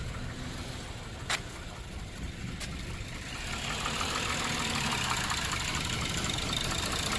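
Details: 2007 Lexus IS250 after repairing a no-start, no-crank fault and reassembly: steady, even idle under a hissy background, no misses or stumbles; normal idle, everything working.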